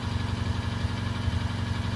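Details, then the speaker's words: Mk3 Ford Fiesta petrol after cylinder head refit following a burnt inlet valve: smooth, even idle and exhaust note, purring with no ticks or stumbles; auxiliary belt slightly squeaky; now running right. "Oh my word, that sounds amazing. Oh my words. That is purring away. That is purring away."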